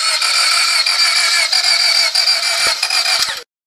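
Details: 2000 Honda Civic that sat three weeks, given fresh gas and tried with jumper cables: steady, rapid starter churning about three beats a second with no catch or firing; cranks but won't start.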